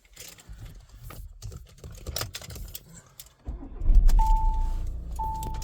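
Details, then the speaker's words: Volkswagen California Ocean camper van, automatic, 29,414 miles: after key jingle and engine start, two clean single-tone chimes about a second apart from the onboard computer warn the electric pop-up roof is still open. "the little warning you can hear there is on our onboard computer, just to remind us that our roof is still open and not to drive away."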